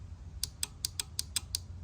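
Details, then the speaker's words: Toro parking brake control module tested with voltage applied; sharp, slightly uneven dry clicks about four per second over a low hum; the relay chatters while the actuator motor and lever never move, though pressing on the plug made it work before. "That click is the relay that's attempting to actuate, and while the relay might be working, we're not getting a response from the motor and the lever here."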